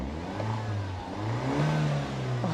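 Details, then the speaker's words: Used Mini turbo petrol engine idling roughly; revs rise and fall unevenly with a wavering, lumpy note while it pours black smoke: major engine issues, rough running. "well clearly you can hear that this poor engine in this mini is not running properly it's got a really rough idle and give it a REV"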